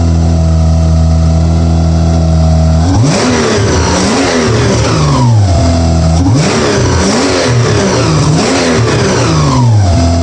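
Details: First start of a 1992 Subaru SVX 3.3L swapped into a 1999 Legacy Outback with standalone SVX harness and ECM, wiring unfinished: engine catches and revs in smooth, even sweeps under music, no knocks or misses.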